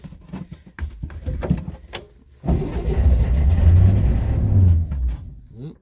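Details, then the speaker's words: 1965 Corvair Monza project car, sat about two months at -8 °C, battery uncharged long time, choke set, sticky throttle: slow labouring cranking with uneven catches before the cold engine grudgingly fires and rumbles; hard cold start. "still a little reluctant but sticky throttle is not a good idea there we go it's a cold start after about 2 months that battery hasn't been charged in quite a long time"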